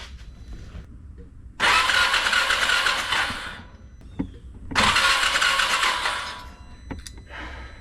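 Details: 2017 Can-Am Defender HD5 no-start, test light on ignition pickup signal while cranking: two fast even cranking bursts about 1.5 seconds each, never catches; no spark, coil to be replaced with OEM part.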